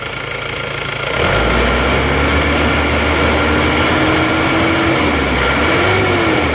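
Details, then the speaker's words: Isuzu Panther diesel with no thermostat, sluggish pull and stalling after revving: revved high, rpm sags and wavers, surging back up; fuel starvation from clogged diesel fuel filter. "Nah, pasokan solar kurang lancar. Nah, ini adalah penanda kalau goyang seperti ini, digas tinggi terus RPM-nya turun, glek-glek terus mau naik lagi. Itu berarti penanda filter solarnya sudah buntu ya."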